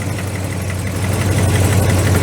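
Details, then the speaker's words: Old truck idling on a lift, after a fuel system leak check: a light, steady knock rides over the engine note; the source is unclear, bottom end or clutch area. "I don't know if that's in the bottom of the motor or something in the clutch area."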